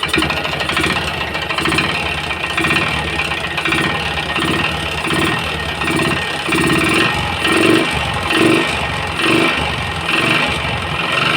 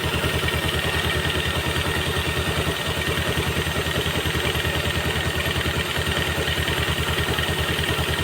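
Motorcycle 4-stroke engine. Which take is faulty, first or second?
first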